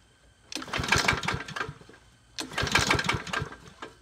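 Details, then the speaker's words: Troy-Bilt mower, bought used, very low oil, choked: two pull-start attempts of uneven popping chugs that die without catching; won't start, owner suspects prior damage and checks the air filter. "she's not a starter she not a starter how's the air filter look like"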